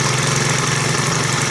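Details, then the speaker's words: Stihl KM130 4-mix engine after valve adjustment, test run: holds a steady, even buzz with no misses or surging; runs smoothly and healthy. "That's better. Got a lot more power now."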